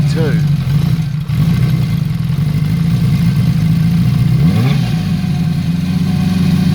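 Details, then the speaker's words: Honda CB350F (350 Four) under restoration, first run-up before carburettor tuning: revs rise then idle slowly sags and hunts low and uneven; sounds a bit rich with unburned fuel, suspected vacuum leak, carburettors need work. "otherwise sounds a bit rich to me actually they're getting a bit of unburned fuel coming out and it sounds like there's a vacuum leak"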